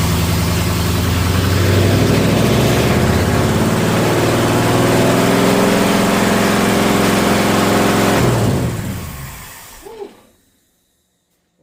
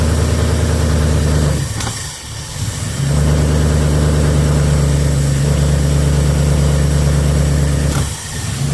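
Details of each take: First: Engine with Holley Sniper 2 EFI after setting top dead center and adjusting distributor timing: even, steady idle with slight rev, no popping or backfires, clean shutoff; timing sounds much better; normal running. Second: Start-up after fitting Holley Sniper 2 EFI, with the engine set at top dead centre, the distributor adjusted clockwise and the idle RPM lowered, in neutral. It fires into a lumpy idle broken by sharp pops and stumbles; it is still backfiring.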